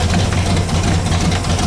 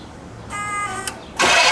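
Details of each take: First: Pontiac Bonneville (Pontiac 455) after freeing stuck Holley floats and raising idle; steady even V8 idle with deep regular beat, no misses or knocks; 40 psi oil pressure, minor carb diaphragm leak; normal idle. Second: Pontiac Bonneville (Pontiac 455), start attempt after pumping accelerator pump, carb leaking, throttle clip missing: steady starter whine about half a second, pause, then loud rush as it turns over; result unclear.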